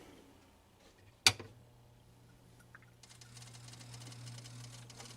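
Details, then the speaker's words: Rock-Ola 496 Super Sound 2 jukebox with burnt power supply: sharp clack, low hum, fast ragged crackling as power cuts in and out, repeating same record, lights jittery; relay chattering. "it keeps playing the same record over and over again okay and it's stuttering it keeps cutting on and off kind of mm jittery"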